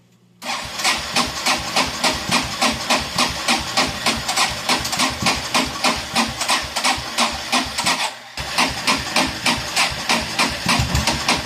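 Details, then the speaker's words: Kawasaki Prairie 400 ATV being repaired, carburetor cleaned, overflow issue, battery charged: steady starter churn about three beats a second, brief drop-out, more cranking, reluctant to catch before finally starting. Hard starting. "I was about to give up right then and it started"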